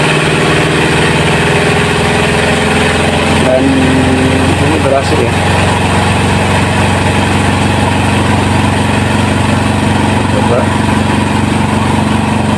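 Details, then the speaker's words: Washing machine spin dryer after evening out and pressing down the uneven load that caused thumping; steady, smooth, fast whirr with no thumping, normal spin. "kalau bunyinya seperti ini ya halus halus dan putarannya itu kencang sekali ini sudah berhasilah"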